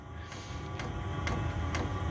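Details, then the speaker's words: Chinese 5 kW diesel heater on kerosene via 240V-to-12V transformer, startup ramp toward pump rate about 5.3 Hz at 8°C: sharp pump ticks about twice a second over low fan hum, quickening; normal startup. "the pump's getting quicker I don't know if you can hear that but the pump's getting quicker the Fan's getting uh quicker so it's it's pumping more air"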